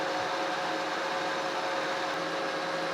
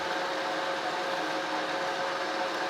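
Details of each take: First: Monarch 16" Model K lathe turning long planer drive shaft, 0.025" depth cut: steady cutting then a low hum appears as workpiece picks up harmonics; steady rest too far away, deeper cuts avoided. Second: Monarch 16" Model K lathe turning a new planer drive shaft from recycled shafting, 0.025" cut (0.050" off diameter): steady even cutting hiss, no squeal or chatter; cutting cleanly.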